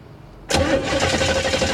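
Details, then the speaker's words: 1968 Camaro sitting since 1999, cranking with the tester on plug number one: the starter spins at an even cranking rhythm but it never catches; no spark at all. "nope nothing no spark at all and i got that plugged into number one"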